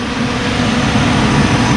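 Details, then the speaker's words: 2001 Jeep Grand Cherokee Laredo 4.0 six-cylinder at operating temperature after radiator and serpentine belt replacement; warm engine idles smoothly under steady whoosh of radiator fan, heard from front, no odd noises or leaks; all normal. "The fan is running. I could hear the fan going. From the front you could hear the fan going. So it seems that all is okay."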